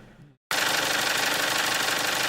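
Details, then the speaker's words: Fast, even ticking valve train clatter at idle on a neglected 1998 Toyota RAV4, louder as idle slows; valve shims probably worn to the far end of tolerance, previous owners neglected oil changes despite the head being redone. "you hear more clatter as it gets slower [Applause] it's not obnoxiously loud but it's noticeable"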